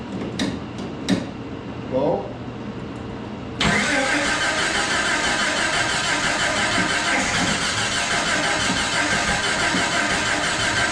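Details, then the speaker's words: Jeep (Jurassic Jeep #73) first start-up after body-frame reassembly: a few clicks then sustained cranking that never catches or speeds up. "he pulled out the distributor and turned it 180 degrees and we're going to try and see if that would make some sort of difference because it just wasn't sparking when it was supposed to be sparking right"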